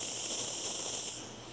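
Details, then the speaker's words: Butane soldering iron lit for extension cord soldering: steady, even high-pitched hiss from the burner jet, fading slightly at the end as the iron runs low on gas; burner running normally. "yeah it makes that hissing noise you can see the can you see it if i get you closer maybe see the jet i don't know if you can see it or not whatever there's an exhaust jet up in there"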